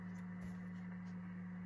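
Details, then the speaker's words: JCPenney Pinto 23-channel AM CB base station, first power-up after storage since 2002, mic plugged in: faint steady low buzz, a little hum from the speaker, cause not traced. "uh can you hear that you guys a little bit of hum even though is that on"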